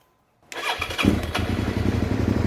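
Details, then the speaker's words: 2003 Suzuki SV650 that cut out after a new fuel pump, suspected debris in the injectors; reassembled after the tank and airbox work, the fuel pump primes, then a quick crank catches into a steady, even idle; it now starts and runs. "bike starts, and the bike now runs. So that's all good."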